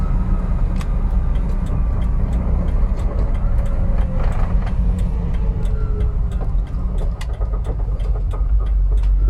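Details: 2001 Jeep TJ: thin whine over heavy engine rumble, pitch rising and falling with RPM, starting seemingly at random.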